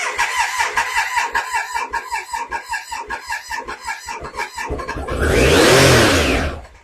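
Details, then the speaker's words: Triumph Sprint 955i that had sat off the road for years, intakes turned upward and sprayed with starting fluid: even cranking at about 2.5 turns a second, then a short loud catch that dies away. It fires only on the spray, and a fuel pump fault is suspected. "We're going to spray a bit in there, and hopefully we're going to have it roar up into life. Wow. Okay, she roared."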